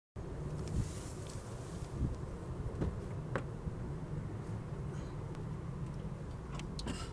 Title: Motorgeräusche, Klappergeräusche bei Lastwechsel, was ist das?